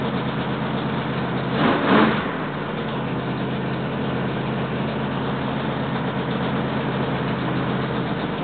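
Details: Freshly rebuilt 1968 L88 427 Chevy big-block V8 (from a '66 Chevy II), hydraulic roller cam, aluminum heads, first start-up with timing roughed in near 35°: short rev, then a steady, fast, even idle held high until tuned; running cleanly.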